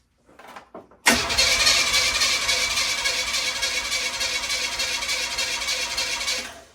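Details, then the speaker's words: 1981 Oldsmobile Cutlass, new starter just installed, engine possibly blown: strong, quick, even cranking about three turns a second for five seconds, no clicking or dragging; immensely better, starter sounds healthy. "that is immensely better [Music]"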